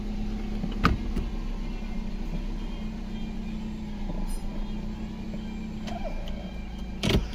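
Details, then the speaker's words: 2019 Nissan Pathfinder 3.5L V6 with code P0101, rough unstable idle and stalling: slow uneven idle lope, less bad now than when cold; airflow reads too low, about 3.5 g/s. "Oh, now it's loping. Look at her. It's not as bad."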